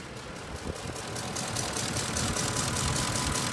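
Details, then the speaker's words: 2006 Ford F-150 5.4L three-valve V8, stated 999,000 miles, new spark plugs and new Motorcraft coil, no codes: uneven, lumpy idle of about four pulses a second over exhaust drone; engine visibly shakes and feels like a misfire, cause unclear. "but you can feel it inside the cab like it's misfiring but it's not throwing any codes"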